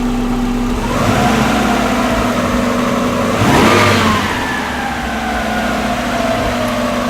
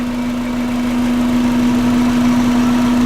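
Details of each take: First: Subaru EJ20 flat-four swapped into a VW Vanagon transporter: blipped at idle, revs hang and sink slowly back over several seconds, better than stalling; true idle about 800 rpm per gauge (sounds lower), not rough. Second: Subaru EJ20 petrol flat-four swapped into a VW Vanagon (Transporter): smooth, even idle around 800 rpm by gauge (sounds lower), no roughness; hangs up slowly returning to idle; loose belt chirping noted.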